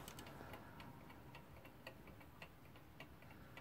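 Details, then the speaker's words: Haller alarm clock that keeps stopping, nearly fully wound: faint, uneven ticking near three beats a second with irregular spacing, out of beat; stops after about 60 seconds, owner suspects blunt balance pivots. "now you can hear it's already out of beep now i don't know if you can hear the ticking from here"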